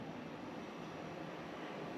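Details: Pioneer Diamante 9k ductless mini-split indoor unit at first startup after the refrigerant lines were installed and evacuated: soft, steady rush of air with no rattles, clicks or squeals; normal startup.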